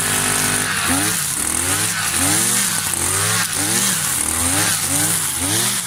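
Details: New Kawasaki TJ53E two-stroke brush cutter cutting tall grass: a high buzz dips and recovers every second or so as the head bites. It pulls cleanly under load.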